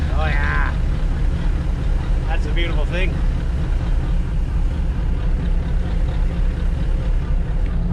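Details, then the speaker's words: 1999 Chaparral 180 LE bowrider, Mercury 3.0L four-cylinder sterndrive, just started after six months in a shed: low, slightly rough but even rumble holding speed, normal idle. "so far so good sounding a little rugged but you would too if you've been sitting inside a shed for the last six months"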